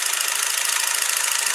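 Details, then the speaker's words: Soviet KS-50B clockwork military cine camera (copy of Bell & Howell Eyemo), being repaired after arriving non-working; first run after refitting the shutter block: fast, even, papery film-drive clatter at a steady rate, about 12 frames per second, speed still to be adjusted, running too slow. "Кадр 12. Скорость теперь будем выставлять."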